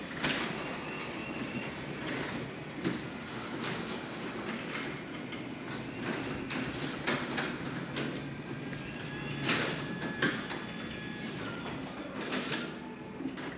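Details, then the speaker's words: Genie 6172H-0 wall-mount jackshaft smart opener with C.H.I 5916 three-layer insulated steel doors on nylon rollers and 15 in radius track: soft, steady rolling rumble with light roller clicks; quiet, healthy operation. "Looks like about 20 dB is the quiet one with the doors closed. So it's a quieter inside as well."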